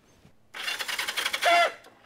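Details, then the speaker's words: 1973 Honda CB360 bought for $125, no tank, key on with neutral light lit: about a second of quick, even starter chatter as the engine spins over freely without firing; normal cranking. "that's $125 and it and it turns over and it turns over"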